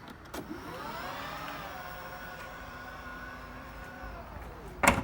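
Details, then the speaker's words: 2012 Volvo XC60 T6 power tailgate after replacing both lift motors/struts: smooth, even motor whine rises, holds about three seconds, drops off cleanly; much quieter than before, working normally. "Beautiful, much quieter, and looks like it's working."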